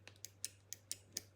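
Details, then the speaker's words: Replacement micro switch on Neff/Bosch dishwasher, fitted after old one found charred: crisp clean clicks, about seven in a second and a half, as switch is worked; healthy switch, whereas old one made none. "could just hear the clicking sound there. And on this one here, nothing."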